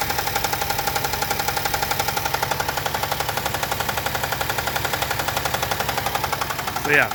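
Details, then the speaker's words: Chevrolet Traverse reportedly jumped in the mountains with a suspected holed oil pan, topped up with old oil; light steady knock about two beats per second over the idle, easing somewhat as it warms; cause unknown. "oh she's still knocking on heaven's door that's for sure"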